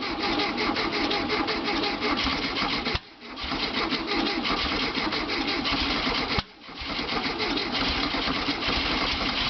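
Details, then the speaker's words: VW Beetle after new coil, points, condenser, plug wires and plugs, now with spark; starter churns in rapid steady bursts but the engine never fires. Cranks, no start; owner suspects it's not getting fuel. "Oh! It's just not getting any fuel."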